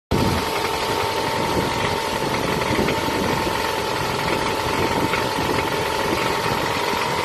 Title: Piston slap noise on Toyota Camry 2007 2.4 engine ACV40